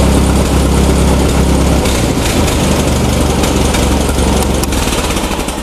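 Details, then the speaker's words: Massey Ferguson tractor with Z engine after governor replacement and adjustment: even, steady putter at a constant rate with no surging or hunting, slowly fading. A healthy, settled idle. "our tractor is back together now we're going to start it up and you can hear how the governor runs there's our nice idle"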